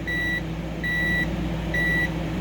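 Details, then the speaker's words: Relay from a 2003 Ford Expedition XLT with no crank, just clicking, bench continuity test with multimeter: clean high beeps about a third of a second long, roughly once a second; continuity present, so the relay contacts are good. "once my multimeter makes a sound which you guys going to hear it's going to work that means that my that my uh that my relay works"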